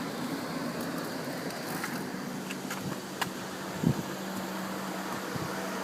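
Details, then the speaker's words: Car on a cold Michigan day, engine idling with air conditioning blowing cold; cooling fans speeding up with steady low whooshing hum and a few stray clicks; normal cooling fan operation. "okay you hear the fans's running speeding up now it is cold today here in Michigan"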